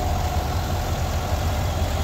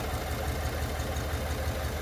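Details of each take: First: 2021 Chevy Suburban 5.3L V8 after repair of cylinder 2 misfire (P0300, P050D): low even idle burble, no stumble, all cylinders including number 2 firing; live data shows zero misfire counts, no check-engine light. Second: 2021 Chevy Suburban 5.3L V8 with P0300 and P050D codes: low uneven idle lope with a recurring stumble as cylinder 2 becomes deactivated and stops working; cylinder 2 lifters not moving while the rest do.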